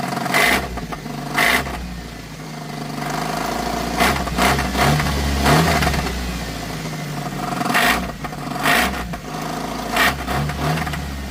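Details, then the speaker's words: Geo Tracker engine blipped in sharp bursts with heavy clattering knocks after an off-road trail left it ticking and banging. The owner is pretty sure it's engine related but the cause is unconfirmed; valve cover to be removed next. "That's not good. Still not 100% sure what it is, but I'm pretty sure it's engine related."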